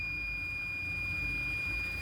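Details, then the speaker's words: LED TV with no sound, picture OK: multimeter continuity test on the speaker coil gives a steady unbroken high beep, so the coil is good. Only the speaker wire is faulty, so both speakers' wires get replaced. "Buzzer बज रहा है। Coil ठीक है। सिर्फ यही तार खराब है।"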